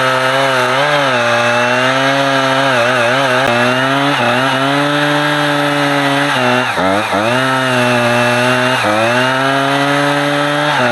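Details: Husqvarna 455 Rancher chainsaw in a heavy block of big wood: strong, steady high-pitched note dips briefly into each cut and recovers cleanly, holding power under load; its earlier power loss when warm was traced to a dirty, discoloured fuel filter.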